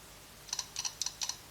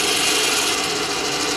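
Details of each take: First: Stark IMT 200 Profi MIG/TIG/MMA inverter welder under repair with 24 V supplied to the power blocks: sharp paired clicks about four times a second as the relay chatters on and off, working intermittently; faulty relay to be replaced. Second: Stark IMT 200 Profi MIG/TIG/MMA inverter welder under repair, in MIG mode with trigger contact closed and voltage present: steady even hiss with faint high whir, no stutter or grinding; wire feed motor running normally.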